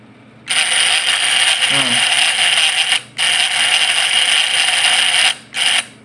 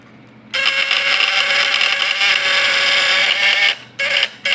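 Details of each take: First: Points-type (platina) PS fish-shocker vibrator inverter: harsh high buzz in on-off bursts of a second or two; points vibrate because the adjustment is too loose, so must be tightened slightly. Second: Fish-stunner (setrum ikan) platina point-vibrator type PS, points set strong and tested on a lamp load: steady harsh high buzz starting abruptly, holding even under load, then short bursts; normal vibrator buzz under load.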